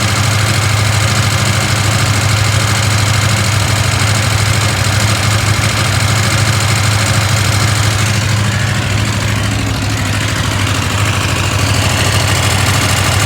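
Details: KTM 890 Adventure R idling: steady twin-cylinder idle with a light metallic rattle ticking about two beats a second; owner asks if normal, rattle gets quieter when riding, source unclear.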